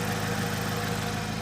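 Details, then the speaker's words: Salvage Subaru BRZ at idle, microphone near the exhaust: steady low idle with a quick, regular puffing tick on the exhaust note; owner suspects a small exhaust leak at a joint previously sealed, not hitting anything. "It sounded like it was either on this side or could have been right underneath me."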